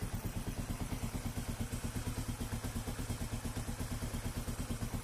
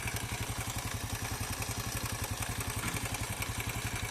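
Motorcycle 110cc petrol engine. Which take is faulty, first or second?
second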